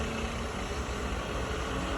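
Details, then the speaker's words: Sharp LCS 3-axis CNC vertical mill (2003) with ACU-RITE MILLPWR control, head run through several speeds up to 3,600 RPM: steady, even spindle hum at about 1,500 RPM, no knocking or grinding; spindle and head sound good. "Approximately 1,500 RPM. Spindle sounds good. Head sounds good."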